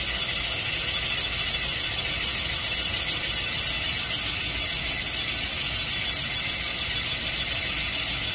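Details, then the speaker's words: Mopar 360 small-block cylinder bore on a Comec boring machine, finish pass after straight roughing bore true to crank: steady even cutter hiss, no chatter or surging; clean finish cut. "And you can hear it sounds very even. So we established a straight bore in our roughing operation."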